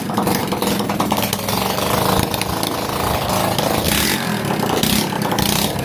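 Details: Lifan 110 semi-automatic engine with added fourth gear and kick start, freshly swapped into a Honda C90 with a new NGK CR7HS plug: small single buzzing at a busy, even beat with no misses or knocks; normal running.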